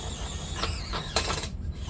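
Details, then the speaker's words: FCX18 crawler straining on a drop: single sharp crack through the motor whine, then front-wheel drive is lost and only the rear drives; owner believes a pinion gear broke, not yet confirmed. "oh did you hear that oh she's broke she's down pimp down I do believe we just broke a pinion gear"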